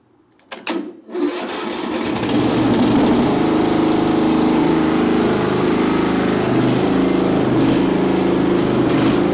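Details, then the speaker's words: Craftsman LT1000 riding mower, on jumper box with dead battery, full throttle with choke: single-cylinder fires after a few coughs and settles into an even steady run, no knocks; normal running. "so I'll give her a Full Throttle with some choke what got to turn the fuel on that might help"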